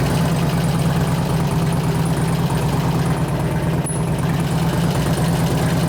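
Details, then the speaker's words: 2004 Harley FLHT 88 Twin Cam touring bike, test run after cam change and tensioner bearing repair: a loud, steady V-twin thump with a loose metallic rattle over it. The rattle is believed to be from the valves, not the cam; cause unconfirmed. "I couldn't hear it over the rattling the valve well hopefully the valve calms down because that's not the cam doing that"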